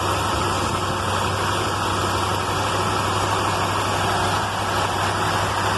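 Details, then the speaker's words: Carbureted car on fresh Valvoline racing oil, restarted after an electrical fire and warming up at high idle; steady, even fast idle with a smooth hum and no misses or ticking. "okay got her running again after that electrical fire that was not fun anyway definitely should be around there on high idle"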